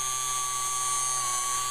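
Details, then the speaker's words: Old fuel pump from an Audi A8, bench-tested on 12 volts, gives a steady high-pitched electric whine with no dropouts here; the pump is known to cut in and out intermittently, possibly from dirt inside. "all right this is interesting this is the old pump hooked up to 12 volts"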